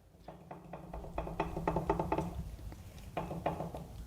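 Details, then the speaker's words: GM 12-bolt rear end rebuild, after removing the added pinion shim: ring and pinion rocked by hand give loose, uneven metallic clunks and clacks; backlash too high because the pinion moved away from the ring gear; next step is moving a carrier shim to bring the ring gear closer. "backlash is high again I expected that so I need to move this gear back again toward the pinion because the pinion moved away from the ring gear so now I've got to come back into it"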